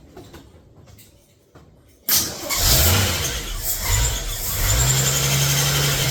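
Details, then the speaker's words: Freshly rebuilt AMC 258 4.2 in a 1981 Jeep CJ7, first start for break-in: engine catches after brief crank into fast idle with thin squeal on top; belt squeak, owner suspects powder-coated pulleys. "Also, you notice that there's a little bit of a squeak. That was the belts. I think one of my belts as well. I had powder coated some of the pulleys, so I think that was causing a little bit of squeak."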